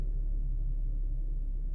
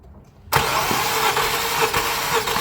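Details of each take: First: Infiniti QX70 at 123,000 km (77,000 mi) that shook and misfired from tight valves, heard after a valve adjustment; timing chain only slightly stretched. A quiet, low, even hum with no ticking or stumble; normal smooth idle. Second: Wet compression test on a 2015 Infiniti QX70 at 123,000 km with a shaking engine: with oil added, cranking turns firmer with even quick chugs and compression rises, suggesting the oil film was simply washed off the cylinder walls.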